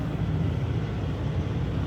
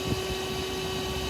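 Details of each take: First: Running truck after replacing broken trailer lift-axle air line: steady diesel rumble with no hiss, where hissing was heard before the repair; line connected, holding air pressure, no leak. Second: Truck trailer lift axle airline broken by highway debris: steady, even hiss over low vehicle hum; air brake line leak.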